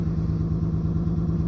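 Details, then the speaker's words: 28-year-old Lexus GS300 inline-six idling unevenly with a stumbling beat; scan shows cylinder 6 misfire and random multiple misfire, owner suspects bad coil pack on cylinder 6 or the wire to cylinder 5. "Cylinder 6 misfire detected. One of two codes. So, all right. So, if it's cylinder six, that means the coil pack is probably bad on um cylinder six"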